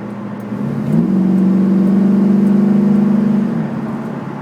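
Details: Chevrolet Camaro while driving: low droning hum swells as car gets going, holds steady, then fades; owner suspects a bad wheel bearing, unconfirmed.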